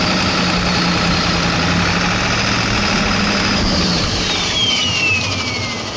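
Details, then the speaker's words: Ford F-250 7.3 Powerstroke diesel on first test drive after injector work, idling uneven and lumpy with a faint skip, one cylinder missing; bleeding air didn't help, can't build boost; misfire from miswired injector harness. "it kind of has like a little bit so it sounds like one of them is kind of missing"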